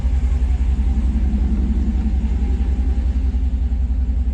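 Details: Rebuilt 2009 Hemi 1500 TRX4 after months of rebuilding, no check engine light: deep even V8 rumble at steady idle with no knocks, misses or surges; running smoothly, normal idle.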